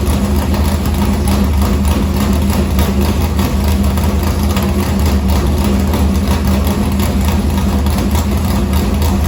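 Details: Morgan Machine-built V8 race motor (about 358), EQ heads, Edelbrock Victor Jr two-barrel intake, 85 carburetor, started after sitting a week and a half with fuel line unhooked: deep even burble, crisp regular firing, no misses; normal idle.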